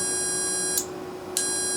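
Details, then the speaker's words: Carrier furnace control board HK42FZ011, relays damaged by overheating from a clogged filter; after tapping, a stuck relay broke loose, now short high beeps about every half second over a faint tone, contact intermittent, relay needs replacing. "so it's it was stuck on the inside and when I did that it actually broke it loose up there"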